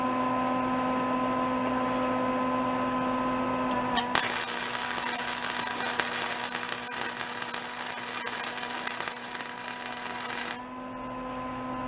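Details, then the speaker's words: Old discarded Lincoln flux-core wire welder, long unused, revived by lubricating the wire feed: steady transformer hum, then an even sizzling crackle with no popping; welding properly. "actually works pretty good"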